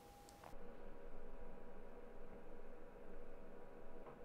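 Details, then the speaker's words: Sony a6400 with Rode VideoMic Go after wrapping the mic body in aluminium duct tape: low even room hiss, the interference clicking and popping eliminated. "it seems that wrapping the body who does the trick in eliminating that clicking and popping"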